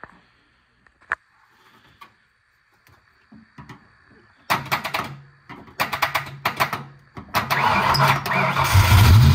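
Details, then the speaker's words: Foxbody Mustang, 302 V8 with B303 cam, T5, 3.73 gears, sitting since about 2021: starter cranks in uneven bursts but never catches; fuel pump heard running yet no fuel pressure builds, likely out of gas. "Well, I think this thing's out of gas. I can hear the fuel pump kicking on, but when I look here at the fuel gauge, nothing's happening."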